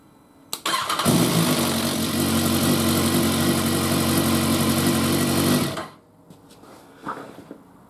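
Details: BMW S1000R 2016 motorcycle, raised off the ground, at start-up: harsh metallic clatter over the engine note from a slack cam chain, later fixed with a manual cam chain tensioner.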